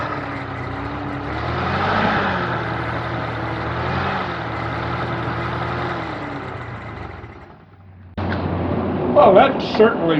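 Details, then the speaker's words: Continental F124 flathead engine from a fire-damaged 1952 forklift, first run after carburetor work, cold before warm-up, runs evenly with a low drone and gently wandering pitch, no knocks or misses, little smoke, then shuts off; sounds healthy. "out well that sounds pretty darn good doesn't seem to blow a whole lot of smoke uh it certainly fired right up i'm really happy with that"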